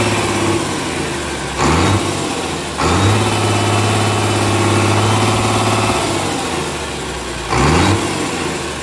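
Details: Komatsu S6D125 diesel on test run after general overhaul (broken No.5 piston, spun No.4 conrod bearing; crankshaft, liners, pistons, conrods, bearings replaced; turbo repaired, FIP and nozzles calibrated); deep idle with crisp revs rising and falling cleanly, no knocks or misses; normal running.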